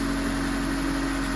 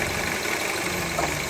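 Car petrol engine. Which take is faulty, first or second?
second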